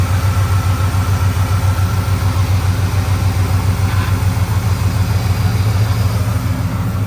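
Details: 2002 Ford F150 Harley-Davidson supercharged V8 just restarted after front teardown with new oil pump installed (owner nervous about timing chains), idling back down, not yet warm: deep steady even idle, no knocks or ticks, oil pressure good; normal idle.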